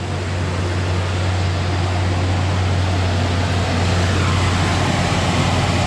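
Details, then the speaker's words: 2005 Ford Ranger 2.3 first start after valve cover and intake gasket replacement and new spark plug wires; starts, steady even idle with smooth low drone, no ticks, knocks or misses, no check engine light; normal idle. "All right, let's see. Oh, it started. Hey, look at that, no check engine light on either."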